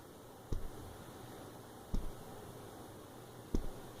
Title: Nexus 6p - Rattling sound near Camera